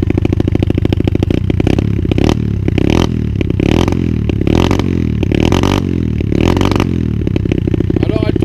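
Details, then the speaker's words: 125 cc two-stroke dirt bike, idling smooth, then blipped: it crackles and stumbles as revs climb, misfiring under acceleration; the owner suspects the fuel hose routing. "super smooth we can hear it there so really good but as soon as I accelerate it seems like we are having a misfire"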